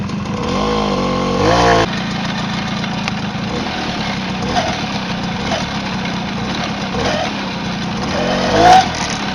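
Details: Tomos two-stroke moped idling evenly with a few quick throttle blips and no rattle from the clutch side.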